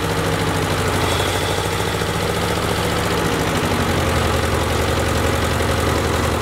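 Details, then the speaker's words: Ford Jubilee tractor started after a carburetor swap with the fuel turned back on: settles into a steady, even idle with a smooth low beat and no stalling or hunting. Sounds pretty good; it had been stalling under load before. "let's go turn the fuel back on see what happens huh uh sounds pretty good"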